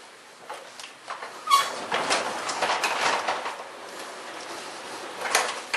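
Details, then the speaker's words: 9x7 garage door with EZ-Set torsion spring, just tensioned, door raised: brief high squeaks over rolling rumble from dry, unlubricated plastic roller guides needing lube per manual; rollers not binding. "and just that's squeaking that's those plastic [Applause] guides so I need to lube those like it says in the manual"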